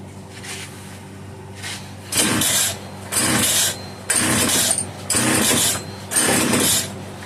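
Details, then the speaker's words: Italian-made Castor 330 Antivib (rebranded Alpina) chainsaw, choke back on to prime carburetor: pull-cord bursts about once a second briefly catching and dying; owner suspects bad carburetor diaphragm. "At this point, I'm pretty sure we can say that the diaphragm is no good. There's other things. It could be a plugged fuel filter, it could be a collapsed fuel line, plugged or gummed up ports in the carburetor."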